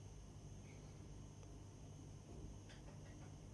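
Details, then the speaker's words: Viessmann Vitodens 050-W 24 kW gas condensing combi boiler, heating set to 40°C, before burner ignition: the fan motor starts with a steady low hum and a faint high whistle. Normal start-up. "Ve ve şu anda ses geliyor çalıştığına dair motoru çalışmaya başladı bu ısıtıyor"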